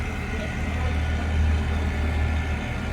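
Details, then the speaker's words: 2017 Freightliner Cascadia DD15 with codes for under-pressurized DEF system and high DEF pump speed: steady, low droning pump running hard, heard from beneath the truck; the DEF pump was later found faulty. "So either we have a bad pump or we have some kind of DEF leak."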